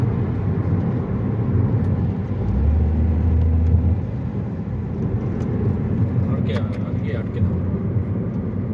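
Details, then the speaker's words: Toyota Vitz after CVT oil change for poor pickup and jerking: steady low engine drone under road noise pulling away, no surging or stumbling; pickup now smooth. "माशाल्लाह गाड़ी की पिकी भी बहुत अच्छी हो गई है झटका भी नहीं मार रही है सहित भी ठीक कर रही है और इंजन सही भी नहीं ए रहा"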